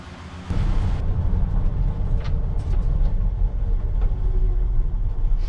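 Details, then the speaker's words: Truck with 231,299 miles that sat over a year, burning off crud from the engine: deep, steady low rumble settling into an even idle with no knocks or ticks; sounds healthy. "oh my goodness does that sound healthy i can't wait to cut the exhaust off"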